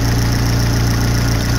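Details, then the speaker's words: Vauxhall Corsa with a P0141 rear O2 sensor heater fault, just started and idling: rhythmic puffing chuff keeping time with the firing pulses; exhaust leak blowing, misfire also noted. "So just start the car up. Hear that exhaust blowing."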